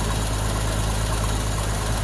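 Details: 1965 Mustang's first start after sitting about a year under a winter cover, carburetor needing several cranks; smooth, even low burble holding steady idle without ticking or stumbling, no oil or generator light; running fine.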